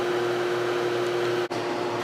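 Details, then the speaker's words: Whirlpool 6,000 BTU air conditioner after replacing the failing capacitor that made the compressor hesitate to start: steady hum with constant mid-pitch tone and airflow rush, no stalling or clicking, drawing less current; normal compressor running. "very nice seems to be drawing less current too with this new capacitor so that's good"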